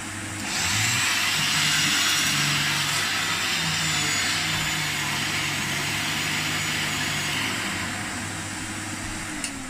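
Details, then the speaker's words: Rare 1980s Hoover on full power over carpet: steady even motor drone with a rushing airy hiss, no rattles, surging or scraping. Motor judged to sound really good; running healthy. "That's very good. Although it is very, the very. motor sounds really good as well."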